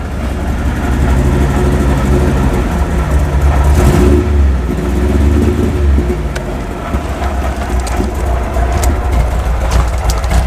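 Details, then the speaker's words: MGB 1800cc after a splash of fresh fuel was added to the old fuel: a loud, lumpy low idle with a rev blip that settles unevenly. It is still very rich; the owner suspects the old and fresh fuel mixture. "very rich and splashy again the fuel is probably a mixture of the old fuel and fresh fuel"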